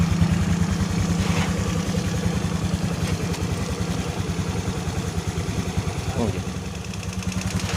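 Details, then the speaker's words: Honda Beat FI scooter engine, previously seized from low oil and uncrankable, idling hot after about 10 minutes with smoke; rough, loose uneven beat with faint whine, from worn piston and piston rings. "engine has been running for about 10 minutes, yes, and the engine is already hot enough to make a whining sound. Yes, it has had an impact on other components, right? Only on the piston ring, the piston ring is already western"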